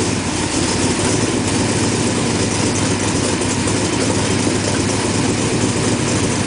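Engine catches and settles into a steady, even idle with no stumble or skipped beats; it is running smoothly.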